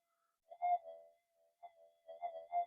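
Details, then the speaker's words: Minelab GPX 5000 metal detector indoors on the cancel coil, after component upgrades to cut noise: at gain 7 short warbling chirps break over the quiet threshold because the gain is too high. Gain is then reset to 6. "we go it's a gain of seven it's getting chirpy so put it on back on a six"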